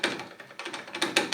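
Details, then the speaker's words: 1991 Harley FXRS front fork, worked by hand with caps loose and preload adjuster run down: sharp hollow knocks in uneven clusters, something clattering inside the leg; owner suspects the damper rod diameter is too small, unconfirmed. "but I mean this thing is rattling somewhere I don't know if this dampener Rod is maybe the diameter is too short"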